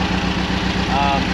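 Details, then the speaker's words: Engine on the Dampier Peninsula idles lumpy with a regular stumble, missing on number one and running on three; owner suspects idle jet blocked by bad jerry-can fuel, idle circuit only, runs on all four at higher RPM. "um the good thing is because it's only the idle circuit um when I'm up when I've got my RPM up I'm able to um it'll then change to the main circuit and then it runs on all four so it's not an issue"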